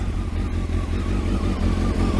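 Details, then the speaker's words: Kawasaki ZX12R after clutch install, started freezing cold on choke and warmed briefly: deep, steady multi-cylinder burble with even pulses and no knocks or slipping; runs sweetly. "take your time Ida that sounds really sweet doesn't it"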